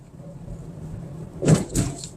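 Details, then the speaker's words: Used Mazda3 Skyactiv, about 75,000 km, during a test drive: two short dull clunks over low cabin rumble, traced to the brake master cylinder; described as common on this model, not dangerous, and the sound may return after repair. "เนี่ยเสียงเริ่มมีนี่ถ้าลูกค้ากังวลเรื่องเสียงเสียงที่เจอมาจากแม่ปั๊มเบรกครับ"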